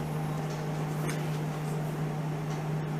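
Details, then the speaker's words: GE side-by-side fridge GSE25SETACSS that was not cooling, just switched on after replacing the circuit board (WR55X26733): a smooth, steady low hum with soft fan air and no rattles or clicks. The fans run. "time to turn it on I can hear it working there's a lot on the front so what is it it's on the fans are working"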